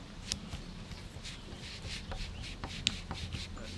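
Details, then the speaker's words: Damaged rocker arm from a non-53-block 24-valve Cummins, held in a vise and forced down by hand: dry scraping, gritty grinding with sharp clicks as it moves up and down on its pivot. "just hear that thing just really grinding when it's coming up and down"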